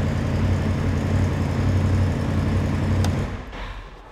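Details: Polaris RZR with brake pressure switch wires connected together as a trail fix for a no-start: engine fires and settles into steady even low idle without stumbling, no need to hold brake; normal start and idle, switch likely needs replacing.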